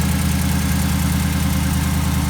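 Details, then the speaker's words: Race car idling after re-welding a header that nearly broke off a cheap weld, running a little rich: deep, steady even lope with no ticking or exhaust puffing; now smooth instead of clapped out. "sounds like a finally changed sewing machine again instead of that clapped out nonsense so pretty awesome"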